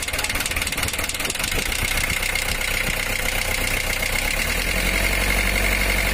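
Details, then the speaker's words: Mitsubishi L300 diesel after water hammer: cracked cylinder head let water fill the combustion chamber, bending a connecting rod. Engine starts into a lumpy, uneven, underpowered idle with a shaky beat and unsteady rpm, before head removal and teardown. "Hai senyum suaranya pun kayak kurang bertenaga goyangannya mesin dan rpm nya itu tidak berkenan"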